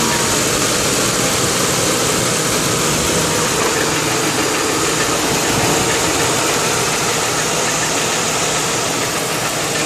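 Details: 2002 Lincoln Town Car with a loud idle and loose, uneven tapping about three per second under the exhaust. It goes away when driving, with oil and temperature fine. The cause was the failed driver's side catalytic converter; replacing it stopped the knocking.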